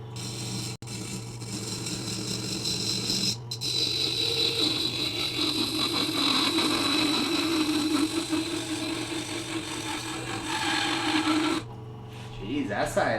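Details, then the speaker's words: Westcott Titanium scissors sharpened on a Tormek T-8 at about 25°: steady, even hiss and hum of stone on steel with no chatter or skipping, much more pleasant-sounding than before. Finding: smooth grinding without chatter. "was like way more pleasant sounding."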